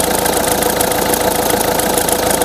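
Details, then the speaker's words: 2006 Peugeot 207 1.6 HDi 110 hp, 170,000 km, original accessory belt, cold start idle: gritty steady squeal over diesel clatter; worn idler pulley bearing, belt possibly slack; belt and idler kit then replaced. "gars les enrouleurs qui fait au niveau du roulement qui commence à être défectueux donc ça grince aussi"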